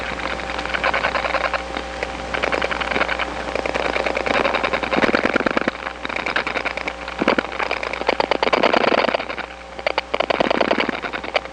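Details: Trains of rapid faint clicks in bursts over a hissy line, heard in the receiver after dialing two digits on a step-by-step line (1976-1981 analog network): other subscribers' dial pulses leaking from trunk to trunk.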